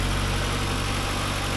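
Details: 1979 Porsche 924, cold engine, warm-up regulator fuel pressure being adjusted (about 3.8): steady even low idle, no knocks or misses, settling in smoothly; normal idle.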